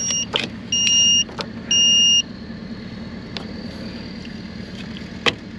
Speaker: Gotta wait for it. Beep, beep, beep, beep, beep, beep, beep.